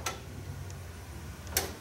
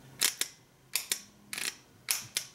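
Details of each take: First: Ford F-150 with intermittent no-crank, no-start: two crisp clicks about a second and a half apart each time the key turns; ignition switch and relay confirmed good. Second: Original Ford F-150 fender-mounted starter solenoid bench-tested by grounding the back plate and touching the signal wire: four sharp paired clicks as it pulls in and drops out; it works now but has been intermittent and weak, starting to fail.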